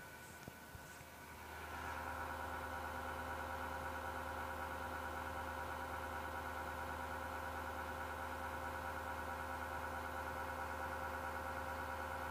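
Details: PC: something inside spins up over a second or two, then holds a steady mechanical whir with a faint rough grinding edge; culprit part unknown.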